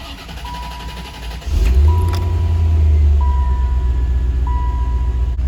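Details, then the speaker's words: 1989 C4 Corvette just after belt tensioner replacement, engine slightly warm: fires up and runs smoothly with no belt squeal or chatter; normal running, cold start still to confirm tensioner was the issue. "well so far so good guys the engine was a little warm before i started it up so i'll probably have to start it up in the morning just to be certain that uh the tensioner was the issue but so far so good"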